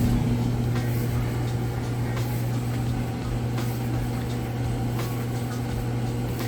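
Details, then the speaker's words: Roper electric dryer on high heat time dry with clothes, no vent hose fitted: even, steady low blower hum with no knocks or scraping; runs smoothly, just louder without the vent hose. "and now typically it would actually be a little bit quieter once you get your vent hose on the back you wouldn't hear that blower motor sound so it'd be nice and quiet a smooth operation"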